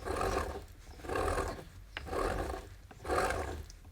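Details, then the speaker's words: Jeep XJ AX15 manual transmission, over 20 years of service, low mileage but large tires and high lift, turned by hand on the bench: dry rasping grind in slow pulses, very rough from excessive wear needing rebuild; spare AX15 much smoother. "very rough feels rough as well that is grinding when that's turning there and if you listen to the spare it's much smoother"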